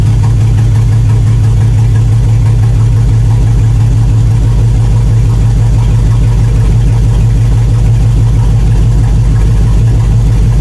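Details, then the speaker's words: 1999 GMC Sierra 2500HD with good compression and spark on all cylinders, running during liquid-fire test: deep, lumpy idle with uneven low thump, down on several cylinders; misfire from clogged, seized fuel injectors starving them of fuel. "So first thing I'm going to do is just revisit what I did before and try a bit of liquid fire when it's running and see if more cylinders start to run"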